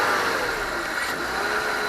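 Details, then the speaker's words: BMW E46 323ci M52TU engine after repairing a DISA valve that would not hold vacuum: smooth, clean note, no whistle or rattle as revs rise; the small noise previously heard when revving seems gone; DISA fixed. "so it sounds pretty healthy um before when you rub it up it used to make a little sound and now I think it's gone"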